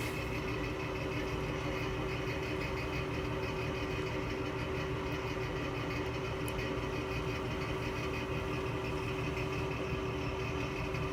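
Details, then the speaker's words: Electric fan with dry, worn motor bearings giving a steady droning hum with a faint tonal whine; it needs oiling, with 3-in-1 oil planned. "It's got bad bearings. We'll get it fixed one of these days."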